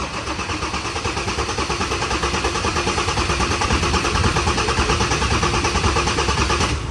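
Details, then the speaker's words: Ford Everest 3.2 diesel, brand-new dealer-supplied replacement engine built in South Africa, first start after filling with 9 L fully synthetic 5W-30 and coolant, fuel system bled; even steady idle clatter, no revving allowed, to be run in for half a day; normal idle. "รันไปก่อนนะฮะห้ามเบิ้ลห้ามอะไรทั้งสิ้นนะฮะรันไปก่อนันนี้ผมจะรันทิ้งไว้เลยครับอย่างน้อยๆครึ่งวันของวันนี้"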